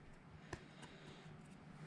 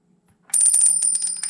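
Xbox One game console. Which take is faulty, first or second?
second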